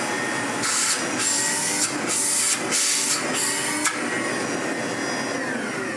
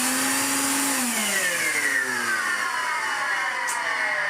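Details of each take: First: Refurbished 1970s Hoover 427 vacuum, same motor as a Constellation: steady high-pitched motor roar sweeping smoothly in pitch, no rattles or grinding. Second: 1970s Hoover 427 vacuum cleaner after refurbishment, Hoover Constellation motor mounted sideways: motor whirs with a coarse, rough edge as pitch sinks while winding down; owner suspects decades of running on its side, cause unclear.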